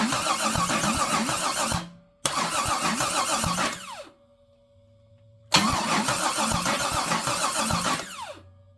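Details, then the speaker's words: Big block engine on stand, not in car, turned over with unadjusted valves: cranking bursts of rapid uneven clatter, about three knocks a second, whacking tap; something suspected contacting inside the valve cover. "Not gonna lie, that sounds like something's whacking into something somewhere. But I think it's on the other side of that valve cover."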